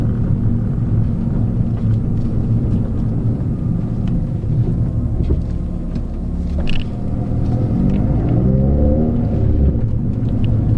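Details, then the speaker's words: Peugeot 206 front suspension after fitting new coilover, sway bar link and coilover top mount with new bearing, while driving: steady low road rumble with no knocks or clunks over bumps; earlier clunking over holes is fixed, suspension quiet and healthy. "everything seems pretty good for now i don't hear any noises"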